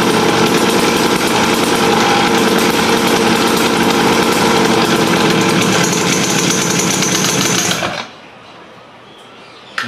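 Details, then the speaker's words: Raptor 87 two-stroke pocketbike after exhaust canister mod (drilled tube, steel wool, added silencer): loud, rapid, even buzz held steady about eight seconds then cut off; sound reduced, normal running. "pero so far Okay naman yung tunog niya ah nabawasan siya Hindi na siya Masakit sa tinga"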